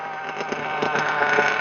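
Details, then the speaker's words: Ultimate Racing M5S nitro engine with a test O.S. glow plug, after laps, possibly running a little rich, and cooler; high-pitched buzz holding a steady, even idle without stumbling, idling better than the other plug. Normal idle. "idling better too."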